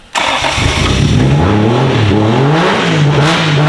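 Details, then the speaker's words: Engine with traction-control throttle bodies, most wiring now on the key, fuel pump hardwired, MAF had been installed backwards: catches quickly, settles, then blips up and down cleanly with no misses or knocks; runs and revs well. "It runs. It revs. We hear it. Sounds great."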